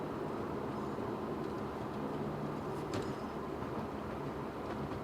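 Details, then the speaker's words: Chevrolet Cobalt SS Turbo with newly fitted F40 6-speed manual transmission, first drive, on coilovers: cruising about 2400 rpm at about 53 mph, steady even drive hum with road noise, no gearbox whine or grinding; quiet and healthy. "so cruising about 2400 rpm at about 53 miles an hour 50 more miles it's really nice and quiet"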